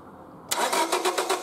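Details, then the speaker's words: 1999 Honda Civic 1.6 SOHC VTEC cranking with a logic probe on the coil: quick, even cranking about seven beats a second with no catch; coil signal grounds but no spark, faulty ignition coil. "so the signal here does look like it's grounding and I'm not getting any spark out of the coil tire here"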